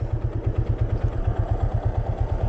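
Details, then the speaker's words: 2024 Yamaha Fazer 250 single-cylinder at 65,000 km, idling, with a regular low knock about every eighth of a second in time with the engine. The owner suspects the connecting-rod bearing after hard, hot riding; not confirmed. "não tenho certeza mas eu creio que é o rolamento da biela cara"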